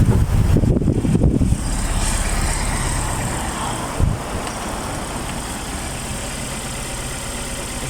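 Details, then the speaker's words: Suzuki APV shaking at idle, one ignition coil found with no electrical supply: after handling noise, lumpy, uneven low idle beat with shake, consistent with one dead cylinder; coil to be replaced. "engine shaking so I need to check this coil there's are no coil uh electric no [Music] Supply this one is good the problem of this uh car is a one Co only there's no no electric so I need to replace this one coil"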